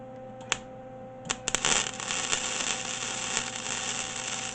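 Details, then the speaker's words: MIG welder with new wire fed, wire speed turned down from three to two: steady even sizzle after a few pops at the strike, no stutter; around two is right for this metal. "that's that's all smooth perfect I'm gonna crank it down to one hand just to make a pass right aside I think two is our spot for this metal"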